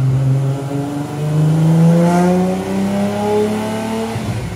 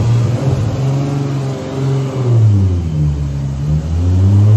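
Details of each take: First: Rat Rod Supra, about 1,300 hp, after the mystery issue was fixed: the note climbs cleanly through several gears with crisp shifts and no breakup. The turbo seemingly tapped out, possibly near 1,272 hp; healthy pull. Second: Rat Rod 2JZ Supra on the shop dyno, two-step, traction control off (setting two): a loud low roar under load with an uneven, stumbling, surging pulse that shakes the car. It made 1,040 hp; misfire under boost.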